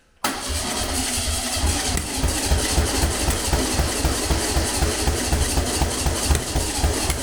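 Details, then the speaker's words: Long-dormant 1200 VW Beetle air-cooled engine on a test stand; cranks at about four pulses a second, firing roughly, never catches; plug leads wired anticlockwise like an MGB, but this distributor rotates clockwise; wrong firing order, no-start. "for all the piss taken I did about the firing order I got it wrong I had it I had to go in the anticlockwise the mgbs distributor rotates anticlockwise this one rotates clockwise as you're looking at on"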